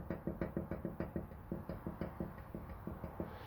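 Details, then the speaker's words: Hyundai Sonata EF (TagAZ), 180,000 km, front CV axle rocked by hand: dull clunks in quick bursts from about 5 mm of play; worn CV joint causing knocks over small bumps, cured by fitting original axles. "вот видно люфт и вот такие звуки на любой любой небольшой неровности начинается вот эти вот штуки"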